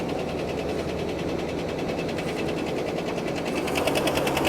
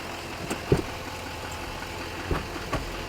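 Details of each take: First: Well-used triple-black vehicle at a dealer auction, idling with the hood open. Loud, sharp, fast regular ticking at about three per second. Not thought to be an exhaust leak; a rod or bearing failure is suspected, not confirmed. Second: Chevy Duramax diesel at a dealer auction, with no smoke at startup: low, steady idle with only a few scattered ticks and no knock. It sounds smooth and healthy.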